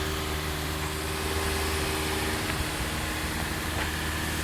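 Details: 2012 Hyundai ix35 G4KD engine, 124,000 km, idling after rebuild curing piston knock (0.5 oversize bore and pistons, oil jets, new exhaust cam and oil pump): smooth, even idle with steady low hum, no knocking or ticking.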